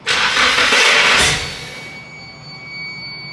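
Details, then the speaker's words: Nissan S14 with SR20DET on a new base map, first start attempt: a harsh sudden burst as it cranks, then cuts off and fades; kickback, owner first thought the starter was wonky. "the hell was that sound like I had a hat it still on the the crank pulley there but we don't it's just the starter is probably a little bit uh wonky on it"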